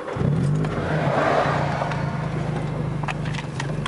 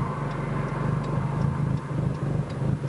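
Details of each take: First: 2006 Nissan Sentra SE-R Spec V, built head, cammed, Uprev tuned, on reflashed map 3 meant to fix random dying at idle in neutral; broken flex pipe: steady even low idle hum, no hunting; fairly decent idle. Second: Tuned 2006 Nissan Sentra SE-R Spec V (built head, cams, Uprev tune map 2) that randomly dies at idle: low exhaust surging and dipping about twice a second; rough idle.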